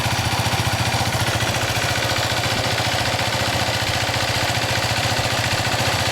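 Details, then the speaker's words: 2008 Yamaha WR250R single just after oil and filter change (about 1.2 L IPONE Katana 10W-50, Hiflo HF140 filter), bike upright, oil circulating: smooth, regular thumping idle near three beats a second, no knocks or ticks; normal idle. "La moto dritta, accendiamo. L'olio va in circolo, lo lasciamo così, controllando che non cali troppo."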